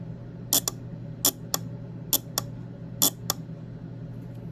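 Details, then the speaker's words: Relay bench-tested with a 9-volt battery across its coil terminals: four crisp paired clicks about one pair per second over a low hum; the relay pulls in and releases cleanly, showing it activates. "so that indicates that the relay actually does activate"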